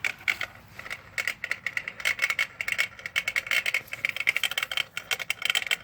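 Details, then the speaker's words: Pool pump filter unit: rapid, uneven metallic rattling with no steady motor hum, and no water flows. Owner suspects the impeller is flopping loose inside. "That's all it does. Sounds like the impellers just flopping around in there. Anyway, you can see no water running through."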